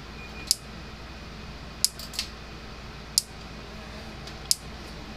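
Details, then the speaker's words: Gallagher M300 electric fence charger after repair, powered on and working: sharp dry ticks about every 1.3 seconds in a quiet room, charger pulsing; clicking suspected to be arcing somewhere, not confirmed. "Alright, so it's clicking. Sounds like it's arcing somewhere."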